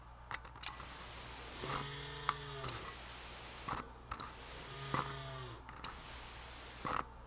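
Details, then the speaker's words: Vintage 1979 Snap-on MT241A timing light after reattaching a loose lead for an intermittent power switch, microphone by the oscillator: four crisp one-second bursts of steady high-pitched whine; normal strobe oscillator, works every time. "here we go works perfect every time stays on"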